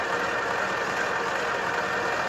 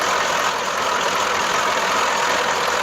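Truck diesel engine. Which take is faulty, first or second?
second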